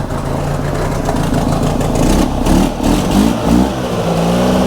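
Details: Subaru Sambar kei van engine, sat 25+ years, after broken wire at the plug fixed: small engine catches and keeps running, revving unevenly with a choked exhaust note; starts and runs.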